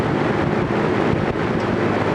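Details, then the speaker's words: Vintage General Electric 3-speed reversible box fan, freshly oiled, running on high: steady, even rush of air with no ticking, rubbing or wobble. Normal high-speed running. "that's medium that's almost like it was on high before and now we'll go to high and kick in the afterburner"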